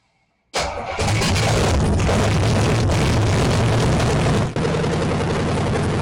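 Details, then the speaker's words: AMC 360 5.9L V8 swap in 1976 AMC Gremlin, start attempt with fluids filled: catches at once, holds fast steady idle that never drops back because throttle linkage doesn't return. High idle from sticking throttle linkage. "Throttle don't return. That's why it was high."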